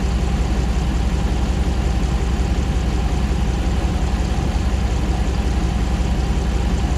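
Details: 2009 Ram 1500 Hemi V8 auction truck, first start after months of rebuilding; all earlier fault codes cleared, no new codes; condenser fan kicks on: steady, even low idle with no knocks, ticks or misses; healthy normal idle.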